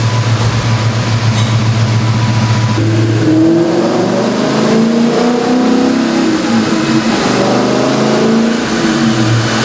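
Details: Ford New Edge Mustang, formerly a V6, swapped to a Ford Performance Coyote "Aluminator" crate V8 with a CobraJet intake and strapped down for tuning. Smooth deep idle winds cleanly up into strong, rising revs and drops back evenly, with no knocks or misses. Healthy revving.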